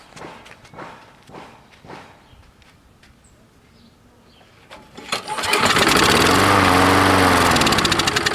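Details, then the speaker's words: Old roadside Craftsman mower with dirty air filter and reused gasket: a few pull-cord attempts, then it catches and runs rough and uneven; dirty spark plug with weak spark. "Yeah, another dirty plug. And like it doesn't seem to want to spark."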